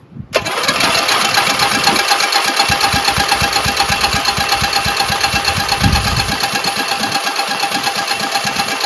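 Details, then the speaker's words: Briggs & Stratton 14hp single-cylinder Synchro Balancer engine after rebuild, no muffler: steady cranking chug about two beats a second with odd sharp pops, never running; turns too easily. Spark confirmed; low compression or a dead battery suspected. "So, it's getting spark otherwise it wouldn't pop. But it's not it's not uh going to engage."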